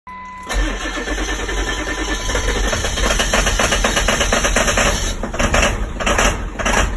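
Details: Ford 7.3 Power Stroke diesel V8 at cold startup fires and settles into an uneven, clattering rough idle with a lumpy, unsteady beat; cause unknown.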